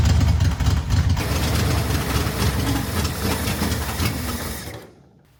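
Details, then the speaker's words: 1964 Chevrolet Corvair barn find after cleaning dirty ignition points with a Dremel, fuel dripped into the carbs. A rough, uneven low chug runs about five seconds before dying away; the ignition now works and the engine runs. "The ignition is working and the engine will run."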